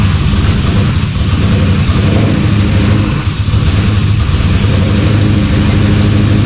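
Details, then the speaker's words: LS-swapped Dodge Dakota V8, sat a year, intake shelved long: lumpy uneven loping idle running on four cylinders, one bank dead; owner sure it's an injector problem. "yeah it's running on four cylinders which means the I'm sure it's an injector thing"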